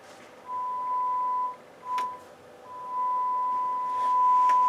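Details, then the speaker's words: Harman Kardon PM645 integrated amplifier on the bench after repair, warmed up 10 minutes: pure steady mid-pitched test tone in clean bursts with no hum, crackle, hiss or DC thump when speakers switched on and off; output clean. "so i switched the speakers on and off i do not hear any dc thump on those on those outputs it's pretty quiet silent which is a good sign"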